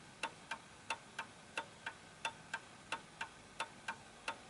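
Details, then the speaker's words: Vintage Napoleon hat Westminster chime mantel clock with the pendulum adjusted left and right to set the beat. Crisp, steady, even tick-tock, about three ticks a second, ticking away nicely in beat. "okay so there we go that's ticking away nicely"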